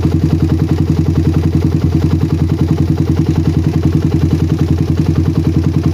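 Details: Single-cylinder bike with a PWK carburetor that ran wet at low RPM, now tuned. The idle is a steady, even thump, and pressing the throttle slide for a long time has no effect. The air-screw setting is now right; the cause was too little air under the slide.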